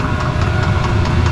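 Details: RV diesel heater fed from an external tank through the top: steady low rumble with an even, faintly pulsing combustion roar and no knocks or rattles; running normally and warming the RV.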